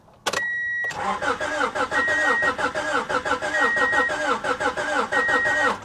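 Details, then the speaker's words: Salvage car not run for perhaps 15 to 20 years, with suspected rotten fuel and possibly no fuel pump: the starter cranks at a steady clip but compression beats come unevenly, some weaker; no catch or start. "I just needed to hear it crank over we'll give her another shot God knows it's probably been 15 20 years since this thing's been running compression sounds uneven as"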